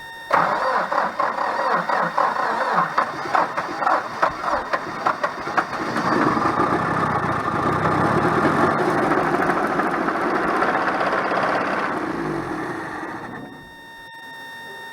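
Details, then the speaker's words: 1985 Dodge Ram 50 that sat about 10 years, coil hot-wired with full-time power. Long cranking catches into a rough, uneven run with a deep knock under the idle, then dies; a dead connecting rod knock. "well you saw it it ran but it's got a dead rod it's got a dead ass rod knock that's why they parked it"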